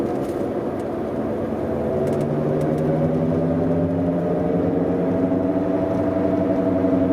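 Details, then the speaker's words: BMW E91, about 176,000–178,000 km, driving at 60 km/h: steady, central low whine rising with speed, first heard only above 90; worn rear differential bearing, later replaced with a used differential from a 2006 330i. "e, pareil, c'est constant, c'est central, c'est vraiment dépendant de la vitesse. Avant on l'entendait que à partir de 90 genre sur autoroute, et puis plus j'allais en vitesse, plus ça faisait du bruit."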